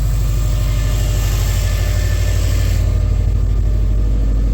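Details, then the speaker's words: Subaru STI boxer engine idling; steady low rumble with an even pulse and no knocks, ticks or whine; everything sounds fine. "Alrighty, well, we're partway on. Everything sounds fine."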